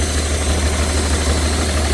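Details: BMW 330d M57 diesel with suspected blown turbo and melted pistons, heavy blow-by, had started to run away: deep, lumpy idle with uneven labouring beat, down on a couple of cylinders; turbo failure suspected, not confirmed.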